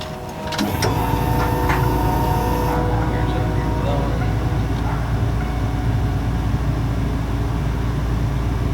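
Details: 6.0L V8 swapped into a Trans Am, first run with muffler, warming up to temperature, oil pressure about 60 psi, heater blowing hot: even, deep rumble holding steady with no misses or stumbles, takes throttle blips cleanly; healthy running.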